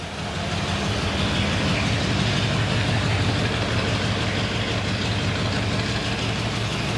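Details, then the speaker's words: 1977 one-owner Ford F150 4x4 barn find, first run after about 20 years sitting, coolant low: deep, steady V8 burble at idle with even, strong exhaust pulse, no misses or knocks; remarkably smooth, normal V8 idle. "look how smooth that thing is wow that's impressive rer that's really impressive"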